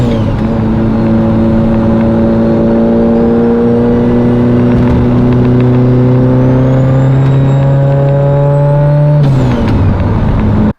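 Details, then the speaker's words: Mitsubishi Evo 8/9 with 2.3-liter engine, new turbo kit and drive-by-wire conversion, still on old tune and fuel system: strong steady note climbing smoothly under light load, no misses or knocks; running well, not pushed hard. "She's running real good. Obviously, I'm not going to beat on it too much."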